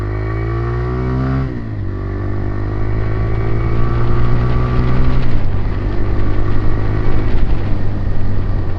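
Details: TVS Raider 125 single, in an old vs new bike comparison: revs up and settles with a deep, thick, even exhaust note, no knocks or rattles; healthy.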